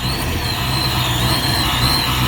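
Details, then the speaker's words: Supercharged Saleen Foxbody Mustang V8 on its first cold startup with a new tune, running rich on cold enrichment at about 12–14 inches of vacuum: lumpy uneven idle with a steady supercharger whine. "You can hear the whine from the Supercharger. And it's not smooth idle."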